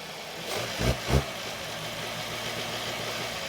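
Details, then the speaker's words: 2020 Hyundai Tucson 2.4L, code P1326, flashing check engine light and power loss: uneven idle, then revs stumble and fall back; misfire data shows misfiring only when revved, engine won't rev past about 1000 rpm. "H interesting. It's now misfiring."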